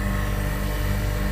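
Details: Refrigeration unit compressor running after its tripped breaker was reset; it tested OK and draws about 6.5–7 A: low, steady constant-tone hum with no knocking, rattling or cycling; compressor running normally.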